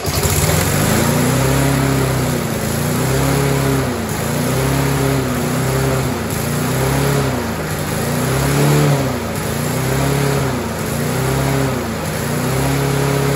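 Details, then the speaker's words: Rover four-stroke lawnmower fitted with a new muffler, throttle at mid position: engine speed swells and sags every second and a half without throttle change; surging, suspected governor spring or carburetor problem. "so as you can see the engine really does want to run however clearly there's an issue with the surging now I'm going to say that's probably a governor spring problem or a general carburetor problem"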